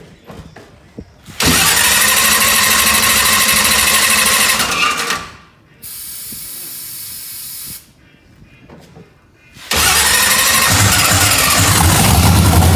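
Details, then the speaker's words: Procharged 2000hp drag-race Mustang, first start after freshened heads, primed with brake clean: loud harsh starter whir while cranking, pause, then engine catches and runs loud and rough; starter noise considered normal. "It's okay, it's just a starter. I told you don't worry about that noise. Crank it back up. It should crank fine."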